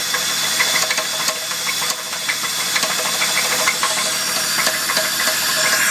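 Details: Holden VS Commodore Ecotec 3800 V6, 5-speed manual, running: sharp big-end bearing knock about three times a second, appeared overnight; weak oil pump and lack of lubrication suspected as contributing.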